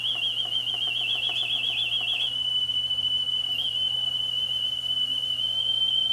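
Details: Sony TC-WE405 double cassette deck, left deck, single motor driving both transports: steady high test tone wobbles in pitch for two seconds then settles; wow and flutter, belts intact.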